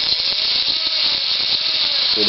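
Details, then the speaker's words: Axial XR10 RC crawler stock front axle with ceramic flange bearings, spun by hand: raspy, ratcheting growl with a thin squeal and loose gear clatter; excessive gear lash, probably from a failed bearing, not confirmed. "that's the sound of gears having way too much room and that's probably because one of the bearings is gone"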